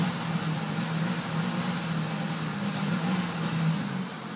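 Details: 1998 Caravan 3.3L flex fuel, warmed up after 10-15 minutes, throttle held steady at 2,500 rpm, misfiring, backfiring and cutting out; caused by a damaged flex plate and a faulty aftermarket cam sensor, and fixed by repairing both.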